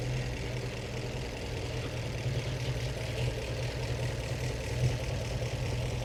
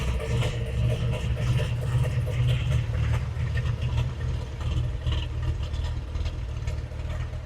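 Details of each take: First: 1915 Scripps-Booth Vitesse overhead-valve V8, about 100 miles on the rebuilt engine, after setting the Zenith carb idle mixture by CO meter: a low, slow, loping idle with soft external-pushrod clatter and no misses or knocks; normal, smooth idle. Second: 1915 Scripps-Booth Vitesse V8 race car, about 100 miles on the rebuilt engine, just crank-started at baseline before Zenith carb tuning: a fast, lumpy, lazy idle with black smoke; extremely rich idle mixture.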